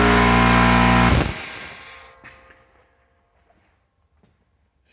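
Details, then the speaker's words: Old 30 gal Sanborn direct-drive compressor, just under 2 hp, bought new 10–12 years ago: loud, steady droning hum with a strong low buzz that cuts off after about a second; pretty loud but running normally. "now my old compressor is pretty loud when i run it let me just show you"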